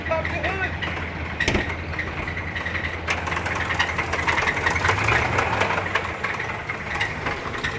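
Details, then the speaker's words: HEMI Ram truck, cam previously pulled, idling: fast irregular clacking over a rough idle, about two a second, easing as it warms, seemingly from one bank; suspected oil starvation to cam, passages not cleared. Valvetrain clatter. "No, that's that cam, bro. That's that cam heating up. Yeah. I bet you there's no oil getting into that freaking, because when they pulled the cam, they didn't clear out the oil passages."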